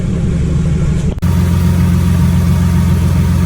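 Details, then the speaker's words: 2015 Mustang V6 with a newly installed, untuned twin-turbo setup still on its old ProCharger tune: strong, steady, deep roar held at raised revs with only a brief dip; runs smoothly and everything is working so far. "So far everything's good. I'm really happy with everything."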